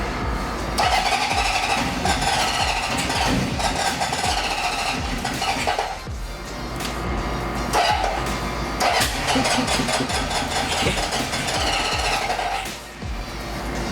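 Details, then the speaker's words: 1974 Honda CB750 with rebuilt carbs, new plugs, coils and wiring harness, idle adjusted up: long steady cranking with hints of catching but no start after an earlier flooded backfire; suspected fuel starvation since the tank had been off. "I adjusted the idle up a little bit. It might just be fuel because the tank was off and get enough fuel in there."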